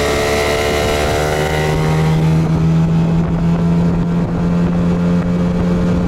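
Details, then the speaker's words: Yamaha outboard (8 hp) on 92-octane petrol, full throttle top-speed run: winds up to steady high buzz with wind rushing past, smooth and even; normal full-throttle running. "alors maintenant essayons de rouler sur de l'essence 92 voyons la vitesse maximale"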